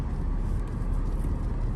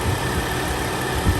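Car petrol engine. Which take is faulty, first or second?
first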